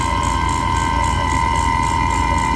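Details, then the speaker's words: HVAC unit vacuum pump during evacuation after a pressure test, running with a steady loud drone, fixed tone and fast pulsing thump; louder than usual, which the technician suspects is because the gas ballast is open, unconfirmed. "that sounds really loud why it's probably because I have the gas balanced open"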